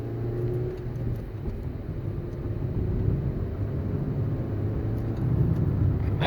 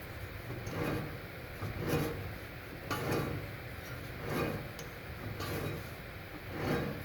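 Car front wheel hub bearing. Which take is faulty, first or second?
second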